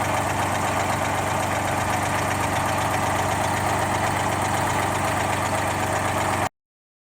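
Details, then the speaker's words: GMC New Look "Fishbowl" transit bus with GMC V6 diesel, first start in about a year and a half after hours of prep, at a museum: steady diesel idle chuffing about four beats a second, no knocks or misses; normal idle. "and you can hear it chortling away in the background"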